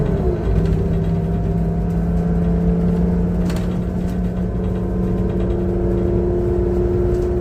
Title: Transperth TP1422 (Bad engine sound)